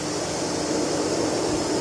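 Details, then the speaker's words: Chevy Tahoe with code P0128 and an erratic coolant temperature sensor reading, before sensor replacement: steady, airy radiator fan whoosh with no engine running. The fan stays on while the vehicle is off. "P 0 128 and the fan stays on while the car is not running."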